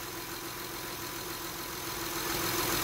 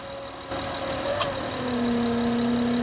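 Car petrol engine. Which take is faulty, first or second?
second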